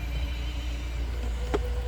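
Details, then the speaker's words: 2016 Volvo XC90 blower motor that failed to operate; faulty CCM, missing LIN bus signal woken with a test light, codes cleared: smooth, even low whir with steady hum, no rubbing or ticking, run up to full speed; operating normally. "And you can see now fan is turning, right? You can hear it. And uh let's turn it to full speed. It's going to be loud, but let's see."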